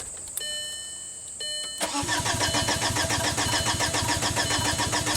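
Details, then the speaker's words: 2005 VW Passat TDI, 231,000 miles, crank no-start after engine and transmission rebuild: starter whirs with a steady chugging crank, three to four beats a second, never firing; about 7 psi low side, no high-pressure fuel. "there's definitely no high side fuel pressure right"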